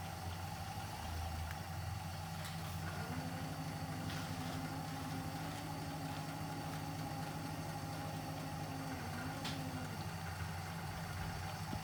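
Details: 1959 Plymouth Suburban wagon with 75,000 original miles, long-stored barn find, idling after its first start before being driven out. Low, steady, even idle with a smooth firing beat and no knocks or misses; normal idle.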